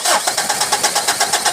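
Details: 2017 Mitsubishi Strada 4D56 common-rail diesel, hard start after water-contaminated fuel and damaged injector: starter cranks steadily at four to five beats a second and never catches; air in injector lines, bled at number three pipe.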